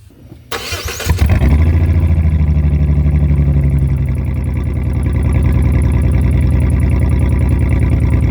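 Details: 2004 Jeep Liberty 3.7L with muffler and tailpipe removed during replacement: starts and runs with a deep, loud, rough rumble and open blatty pulses at idle; loud exhaust with no muffler.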